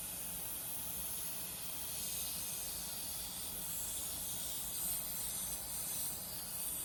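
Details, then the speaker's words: Robinair 134Z refrigerant recovery machine, compressor suspected faulty: filter drier fitting loosened with pliers; steady soft hiss of leftover Freon escaping, which the compressor had been unable to pull out. Refrigerant leak at loosened fitting. "You can hear a little bit of leakage. Just a little bit of Freon escaping there. Primarily because the compressor was unable to really pull that out."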